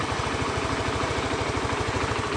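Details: Honda Beat FI scooter that arrived completely dead, idling after the dead CDI/ECU was replaced: small single-cylinder engine ticking over at a steady, even beat with no misses or knocks; healthy, smooth idle.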